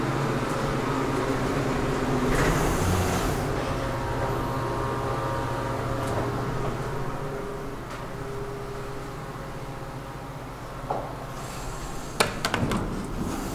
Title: KONE hydraulic elevator with noisy fan @ Central Library, Milwaukee, WI